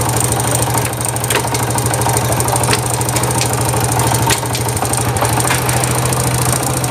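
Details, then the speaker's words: Honda Wave 100 idling in neutral: sharp, irregular light ticks over the thump, with a loose starter clutch knock; the knock goes away with more throttle. "Cái tiếng kêu tích tách này, nhưng mà nãy nó còn có một tiếng lỏng của bát đề nữa. Đấy, có cái tiếng cộc cộc nha anh em nhá."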